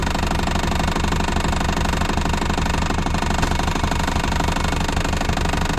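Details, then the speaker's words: Abandoned 1980s VW Rabbit pickup diesel on four flat tires, clutch possibly smoked, put in gear: a dense, fast metallic rattle from the loose exhaust runs over the diesel clatter at about three beats a second. The engine sounds okay once the rattle stops. "this is so gross well when that exhaust quits rattling it doesn't sound so bad that's good"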